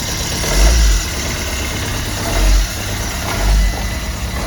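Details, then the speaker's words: Peugeot Bipper automatic, auction purchase: uneven idle with periodic surging swells about every second and a lumpy, unsteady beat on start-up; rough running, cause not yet known. "What's that noise? Turn it on, start it again, Joe. Sounds a bit ropey."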